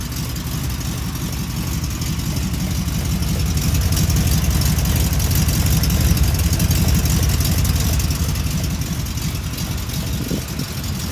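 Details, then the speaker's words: 1971 Chevy C10 with a cammed 350 small-block (Summit 1103 cam, long-tube headers): deep lumpy idle with a faint light tapping underneath, a loose exhaust rattling, not an engine or rod knock. "So before anybody says that little tapping noise is the exhaust, it's kind of rattling down there. It's not an engine, not the rod knocking or nothing."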